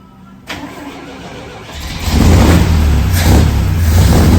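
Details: 1963 GMC Suburban panel barn find, 305 engine, first start on a bottle of fuel with fresh plugs and cleaned points, choke off; cranks briefly, catches and settles into an even steady beat with no knocks or misses; runs healthy.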